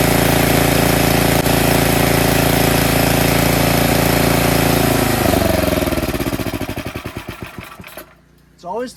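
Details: Tecumseh snowblower engine after cleaning a clogged carburetor pilot jet that caused surging: even, steady buzz at constant speed with no rise and fall, then it slows and stops; runs smooth, no hunting.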